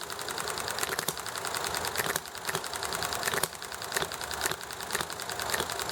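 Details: Small Enjomor hit-and-miss engine running nicely, with highway traffic and chatting in the background: sharp pops about once a second with lighter ticks between over steady hiss, firing and coasting evenly; normal hit-and-miss running.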